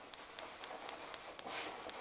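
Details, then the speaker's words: 2015 Hyundai i20 1.4 running on two cylinders, coil tested with an old spark plug: sharp dry snapping cracks about four a second; spark tracks through a broken-down spot on the coil insulator instead of the plug. "see that you can hear the cracks not coming out the spark plug it's actually coming out this little area here see the little spark there you go perfect broken down insulation on a coil"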